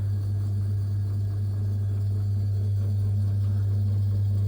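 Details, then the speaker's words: Old Vaillant Thermocompact system boiler after repair (no heat/no hot water; loose blue plug under fuse restored board power), pressure needs topping up; steady even low hum with no knocks or surging, firing normally. "absolute Bliss oh yes there's no sweeter sign than when you've repaired something especially something of this age keep her going"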